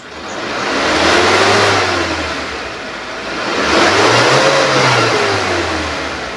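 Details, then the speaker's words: 2018 Suzuki Carry Futura pickup, engine revved to 3000–4000 rpm after a smooth, quiet idle: pitch climbs and falls cleanly with no knock or rattle, no white exhaust smoke; engine sounds normal, light and healthy. "naikkan RPM pun sampai 3000 sampai 4000, itu suara mesin juga masih normal, masih oke, masih enteng."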